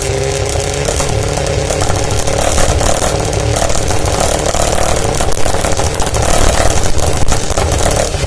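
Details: Mazda RX-7 SA22C 13B turbo with catalytic converter deleted: a loud, open rotary idle and revs with ragged, uneven popping and stumbling. It is misfiring.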